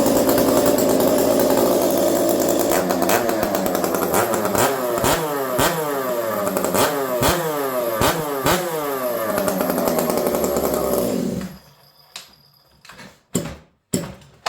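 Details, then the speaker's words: Ported Stihl MS460 chainsaw with homemade pipe, fresh motor on restart, strong compression: crisp two-stroke rev blips about twice a second with clean strong pickup, then shutoff; normal revving. "She sounds good. Started super easy. Notice it was a little bit lazy on the first couple pulls of the trigger. That's normal with a fresh motor."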